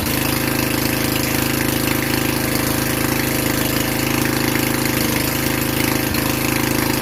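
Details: Vintage Generac Niagara 2250 W generator, model 5621-0, Tecumseh 5hp single-cylinder, running without choke in a garage with an appliance connected: steady, even, rapid beat at constant speed; producing power, healthy under load.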